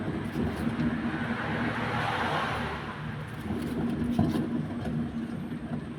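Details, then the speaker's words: Toyota Innova, rear left wheel raised and spun by hand: a rough droning hum that swells and fades. While driving, the hum rises and falls with speed. Caused by a worn rear left wheel bearing. "Speed കുറയ്ക്കുമ്പോൾ sound കുറയാനുള്ള ആ sound കുറയുന്നതിന്റെ കാരണം എന്ന് വെച്ചുകഴിഞ്ഞാൽ ഇതിന്റെ wheel bearing പോയതാണ്"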